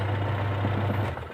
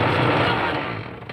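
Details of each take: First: Sharp manual washing machine after replacing the pulsator and gearbox, which had been running very rough and noisy: even low motor hum with no knocking or grinding, then smooth wind-down; normal running after repair. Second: Sharp manual washing machine agitating: loud, coarse grinding rattle that drops away when the drive stops; worn pulsator spline and gearbox, both to be replaced.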